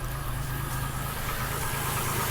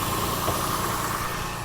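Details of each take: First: 2001 Chevy Lumina started after sitting a long time: rough, shaky idle with a loose knocking pulse about three per second just after start-up. The engine is shaking but fires right up and is expected to smooth out; cause not confirmed. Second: 2001 Chevy Lumina, moments after a rough start following long storage: steady, light idle hum with no misses as the engine settles and sounds better and better. Normal idle.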